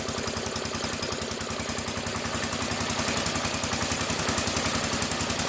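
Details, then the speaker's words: 1975 or 1976 Massey Ferguson 14 garden tractor, Kohler K321 single-cylinder, after carburetor repair: steady, even firing about three and a half beats a second, no misses or pops; previous backfiring and exhaust flames gone. "perfect when we're running rich Raeleen or whatever no more backfires it was backfire to the curb back front of the exhaust flames with the exhaust so she is ready to go"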